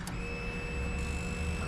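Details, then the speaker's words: Honda CBR250R motorcycle, used bike: brief steady electric whir at key-on with kill switch on, even pitch, no rattle; fuel pump priming normally. "uh you can hear the foil pump coming on let me do it again"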